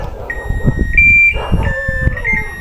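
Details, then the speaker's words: Hitachi 15 kg washing machine after repairing F1 error by rejoining a broken wire: clean steady power-up beeps and normal start, no error tones; working properly. "เสียงมันเริ่มทำงานครับ"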